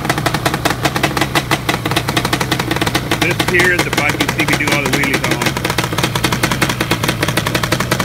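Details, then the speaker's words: Yamaha Banshee two-stroke twin with an engine four years old: sharp, rapid, even exhaust crackle that picks up cleanly with throttle; healthy running. "this engine here has got four four years on it and she still sounds great"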